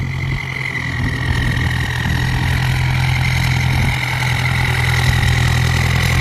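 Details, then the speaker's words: Ford 5000 (68) turbo diesel tractor at light revs before boost comes in. Steady diesel chug with a faint turbo hiss and even firing, no knocks. Normal running. "นี่ลองรอบเบาๆอันนี้บูทยังไม่ติดเพราะติดบูทแล้วแรง"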